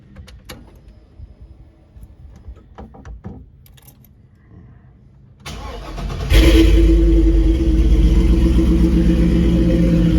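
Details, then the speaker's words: Chevy C10 with LS swap, 4.8 from an '03 truck, after fixing a loose ignition switch: a few clicks, brief crank, V8 catches cleanly and settles into a steady even idle; healthy start. "So, as I said, starts every time, sounds good, runs good."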